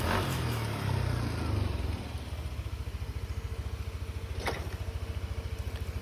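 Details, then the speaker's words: Yamaha NMAX V1 scooter, 28,791 on the odometer, reassembled after the VVA spring found installed backwards following a refresh was corrected: revs drop to a steady low idle with no valvetrain tapping, only some panel buzz; normal idle. "Maririnig nyo naman, tahimik na. Normal na ulit yung tunog."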